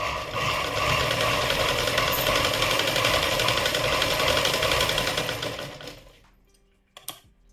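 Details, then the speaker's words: Sewing machine running loud and clattery with fast rattling chatter before oiling; dry moving parts need lubrication to reduce the noise. "आता पहिले आवाज बघा तुम्ही किती आवाज येतोय बघू शकता खूपच आवाज येतोय मशीनचा आणि आता आपल्याला तो आवाज कमी कसा करायचा ते बघायचंय"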